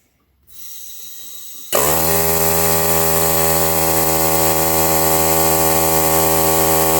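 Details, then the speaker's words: Holiday Rambler RV air suspension compressor: kicks on, steady even hum of constant pitch, no knocks or rattles, fills suspension and shuts off; normal running. "sending some air to the air suspension so that's good all filled up she turned off"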